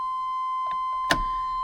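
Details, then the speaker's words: 1989 Chevy K1500 new chime module plugged in, key in ignition: single steady high-pitched continuous tone that cuts off cleanly when key removed; normal key-in and headlight reminder buzzer. "Okay, the key's in the ignition. If you get ready to leave the truck, it would be ringing."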